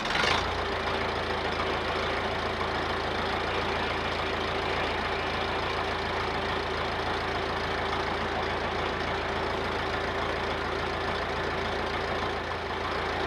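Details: Massey Ferguson 50HX 4wd backhoe loader, 4-cylinder Perkins diesel, after hooking hydraulic pump to engine and refilling fluid, started to test hydraulics: steady even idle, constant low drone, no knocks or misses; normal diesel idle.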